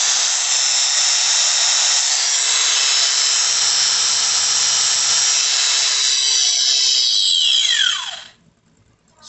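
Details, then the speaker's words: Angle grinder brought in for a rubbing noise and a burning smell, tested after being opened and reassembled: high, even motor whine holds steady and winds down smoothly with no rubbing or grinding, so it seems to be fixed. "pues creo que sí el roce que se le sentía bueno Pues creo que sí quedó bien"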